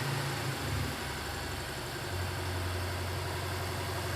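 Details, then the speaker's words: Alpina B7 idling in drive after replacing an original ignition coil: low, even rumble with no stumble or shake; the engine idles smoothly. "so just idled down in gear you'll really be able to tell if it shakes oh yeah no it's not shaking at all"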